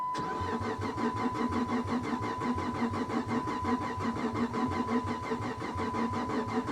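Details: Salvage Chevy Camaro SS, 15K miles, catalytic converters cut off, fuel pump heard running constantly, on booster pack; even starter cranking with a steady high tone, never fires; cause unknown.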